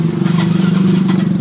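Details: Yamaha Mio M3 125: electric starter keeps spinning with a steady buzzing whir and fast flutter, engine not firing, even with the ignition key off; starter relay stuck, and tapping the relay stops it.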